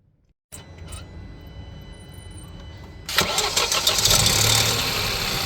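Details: Hyundai/Kia 1.0 TGDi engine starting and idling: fast light metallic clinking over the idle, first mistaken for timing chain, actually loose turbo wastegate linkage; fixed by fitting a small spring on the linkage.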